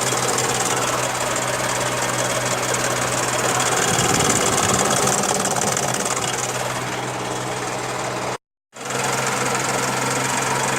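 Regular metallic tapping about 220 a minute over a steady idle, riding on the engine note; an internal knock of unknown cause.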